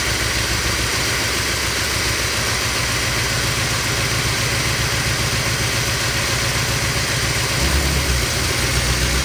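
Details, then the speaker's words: Corvette V8 cranking steadily at nearly four beats a second without catching after earlier brake-cleaner starting attempts. There is fuel pressure, but not enough to start, so a weak fuel pump is suspected and another used pump is to be fitted. "We got fuel pressure, but I don't think we have enough pressure to get it going."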